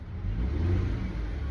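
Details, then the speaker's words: 2014 Dodge Caravan that whined when accelerating; after filter service the whine is gone. Engine revs smoothly with steady low hum and no whine rising with speed: normal transmission operation. "let me see. It's not doing it right now at all. Um, it's quiet as a mouse."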